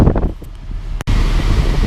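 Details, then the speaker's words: 2001 BMW 530i (E39) after cooling repairs, heater blower on full heat: even steady rush of air, no rattle, ticking or squeal; heater fan running normally, heat great, engine not overheating. "i got it cranked up on full heat and i'm just feeling it out right now"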